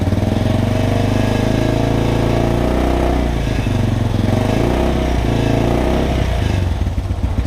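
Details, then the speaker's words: 1987 Yamaha Moto 4 YFM200 single after charging coil replacement, electric-started, coil reading 37 volts with consistent pulsing: a clean, even beat rising and falling smoothly with throttle blips, no misses. Normal running and revving. "Fires up right away. We're looking at 37 volts. Very good consistent frequency. Everything's pulsing very, very good."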